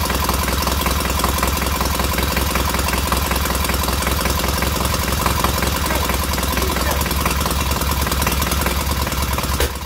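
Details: Freshly rebuilt K750 twin on first start-up, after a minor ignition fault stopped an earlier attempt: even, steady low thump from both cylinders with no misses or knocks, both heating equally; smooth normal idle.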